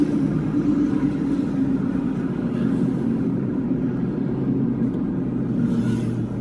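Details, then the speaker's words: Toyota Hilux automatic on a test drive after repair of internal grinding and delayed shifting from worn clearances: steady, even rumble with no metallic grinding or clunks, transmission engaging smoothly. "Ang mangyayari dito kahit sa gas mararamdaman mo din siguro na mag ano mga titipid ka ng konti kasi ngayon maganda na yung kapit niyan"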